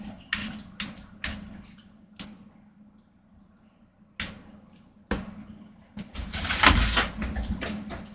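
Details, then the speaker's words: First-gen Apple HomePod in for repair: loud irregular pops about three a second, each fading away, with a harsh burst near the end and some squealing; the subwoofer is judged blown, likely from the same filter fault seen in another unit. "so judging based on what I heard there I heard a little bit of squealing so I'm going to guess that our subwoofer is quite roasted in here"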